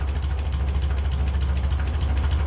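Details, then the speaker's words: 1957 Ferguson 35 TVO tractor at low tickover during idle-mixture adjustment, deep steady but lumpy, labouring chug with visible exhaust smoke once the screw is turned in; idle mixture too rich. "yeah change in there now I can start to see smoke out the exhaust so that's too rich so I'm going to bring it out until the tickle tick over goes up a little bit"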